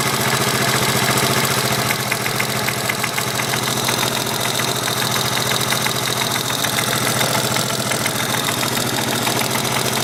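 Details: 1983 Yamaha XT550 single with a new sharp tapping knock, about three to four per second, at idle, worsening over days; seems to come from right-hand crankcase, unchanged by clutch or gear, gone under load and higher rpm.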